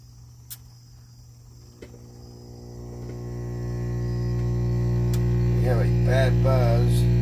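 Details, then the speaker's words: 1950s German Telefunken three-tube stereo record player amplifier brought up to 110 volts: a loud, steady low hum with a buzzy edge builds and drowns the playback; the owner plans to clean the amp and replace the filter capacitors. "We're going to take it out and clean it and see if we can put some new filters in it. Because I can't even hear it playing with all this noise between that and the record player."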